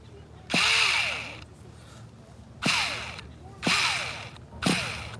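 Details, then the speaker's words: 2002 vintage Tamiya Terra Crusher 1/8 nitro monster truck, very cold conditions: short high starter whirring bursts about one a second while engine barely turns and never catches; slipping starter one-way bearing. "well when the one-way bearing is slipping you pretty much got nothing"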